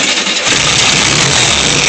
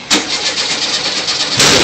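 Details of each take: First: Type 3 VW 1600 cc single-port air-cooled flat-four, first start after rebuild: steady, even beat with lots of fan hiss, no misses or knocks, running cleanly at fast idle after an earlier backfire. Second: First start of a rebuilt VW Type 3 1600 cc single-port engine: rough cranking with a sharp loud pop at the start and another hard burst later; backfire on start.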